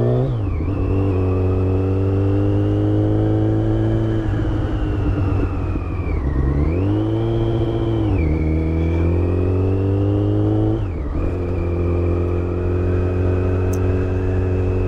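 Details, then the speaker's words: 2008 Yamaha FZ1 motorcycle, ridden while cool: steady whine over the engine rising and falling with revs; owner notes it is worse when cold and when engine braking under load, source not yet diagnosed. "I have noticed prior to riding this bike that uh when Engine braking under load the noise is worse"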